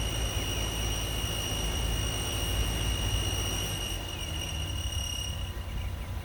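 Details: 2015 Ram 3.6 Pentastar at 115,000 miles: a steady high-pitched squeal over an even idle starts after about half a mile of driving and stops 30–60 s after stopping at idle. Accessories, idler pulley and belt spray were ruled out; the cause is unknown.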